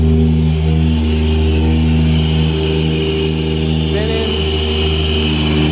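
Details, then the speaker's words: Supra with EFI, started after powder-coat work and checked for leaks: deep, steady idle with a slightly uneven cam lope and no hiss or ticking, running well. "I think we're good to go, boys. Listen to that cam low."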